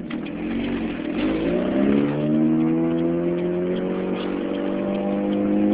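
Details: 2006 Chevy Cobalt SS supercharged with an exhaust leak at the header/downpipe area; the note climbs steadily on the rev, with a sharp puffing tick on each pulse.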